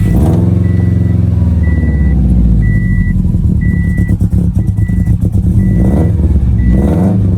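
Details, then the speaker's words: Subaru STI in 700whp build, cold day: low lumpy idle stumbling unevenly under a chime as it starts missing and later dies; thought to run rich or lean, bad O2 sensor suspected, unconfirmed. "Oh, here we go. Now it's starting to miss. So now we can figure out what's going on here, guys."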